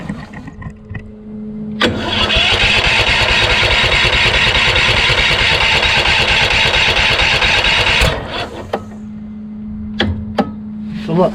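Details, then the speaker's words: Craftsman YS4500 lawn tractor repowered with a Kohler Courage engine, about 36°F: starter whirs and drags the engine in slow labored pulses, about three a second, never catching; owner suspects a weak starter, not the Bendix gear; valves already adjusted to the limit. "it's just going to be caught up no matter what because once you have that compression stroke it's not strong enough to turn it all the way so you know what I probably need a new starter"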